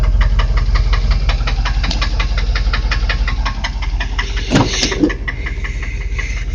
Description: exhaust manifold leak